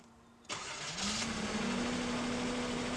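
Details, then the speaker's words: 1981 Datsun 280ZX after new fuel injectors and service (previously loss of power, rough idle), second start after building fuel pressure: brief half-second crank then clean catch and steady even idle; starts much quicker than before. "so far one thing that I did notice you guys when I let the engine run the very first time um it started up a lot quicker"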